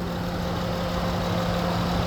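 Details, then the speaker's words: 2013 Honda Odyssey Touring V6 idling, hood open, with check engine lights on: steady, even idle hum, constant low tone, no stumbles or misses; engine sounds good. "And here is the motor. It sounds good. I do know we have some check engine lights, which we'll take a look at, but it sounds good."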